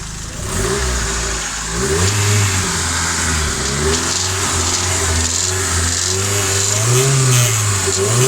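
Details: Newly rebuilt Nissan SR20DET: light metallic rattle over the exhaust note starting around 3000 rpm as revs rise and fall, coming from exhaust side; no VTC or wastegate play found, source unclear.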